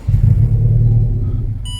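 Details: 2019 Honda Civic, crank no start; owner fitted an aftermarket fuel pump himself. A short low rumble sags and fades within two seconds before dash chimes. It runs briefly on added brake cleaner, so a pump fault is suspected.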